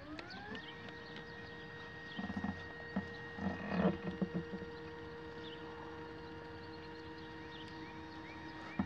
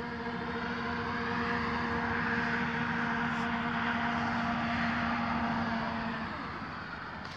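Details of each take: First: Astro-Physics Mach2 equatorial mount, right ascension axis slewing at 600 Go-To speed from the west side to park position 3: motor whine climbs to a steady, even pitch with no vibration or rattle, unlike at 1000 and 1800. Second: Astro-Physics Mach2 equatorial mount slewing at 1800 Go-To rate from park position 1 to 3, west to east: steady motor whine with a rough buzzing grind. The vibration is in the right ascension axis near the motor.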